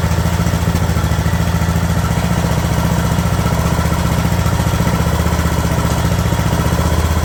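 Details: Craftsman LT2000 riding mower engine at a slow idle after the throttle linkage was straightened: low, even thumping about three and a half beats a second with no hunting or surging; steady idle.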